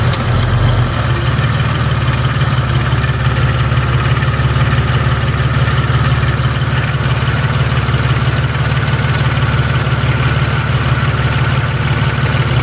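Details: 4.0 WJ: light metallic tick about three per second over a steady idle. Owner suspected the flex plate; a shop thinks the torque converter is more likely. Not confirmed. Ticking at idle.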